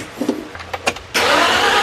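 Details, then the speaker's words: 1965 Ford Galaxie after cam and lifter replacement, charger connected: brief fast even cranking with no firing; cranks but won't start, fuel present, compression sounds low, owner suspects his valve adjustment. "Man, that does not sound like we got good compression. I cannot remember how that was before. Let me see if I'm getting fuel. I think we are. Oh, yeah. So, we got something else going on here cuz that should have fired off somewhat."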